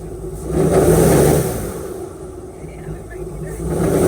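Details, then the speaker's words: Airboat engine after carburetor tune-up with idle mixture adjusted and vacuum gauge fitted: swells cleanly from idle to throttle and back twice with no flat spot, stumble or hesitation; smooth carburetor transition. "I'm start it up and give it a little bit of guas and just see how the transition is between idle see if it very smooth all you're trying to feel for is if there's a flat spot between idle and"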